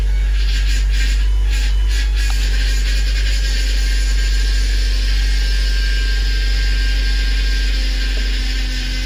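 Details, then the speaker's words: 2011 Ford Transit Connect first start after cylinder head replacement for P0302 error: low drone with rough gritty grind over idle right after start-up; attributed to power steering pump low on fluid, not engine. "The rest of the engine sounds fine. Aside from that grinding noise. That's the power steering pump. That's not the engine."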